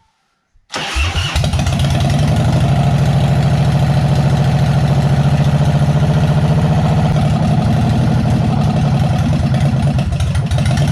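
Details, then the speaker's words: Heavily modified 1995 Harley-Davidson Dyna 1340 bobber, first start in 3 years after tank cleaning and a new fuel filter: catches, then loud, uneven lope through open pipes only on choke, won't idle or throttle; owner suspects a top-end noise. "so you can hear it's fired but it only ran on choke and it was pretty not a bit noisy anyway but then I'm I kind of felt like there was a noise like a top in noise or something going on there too"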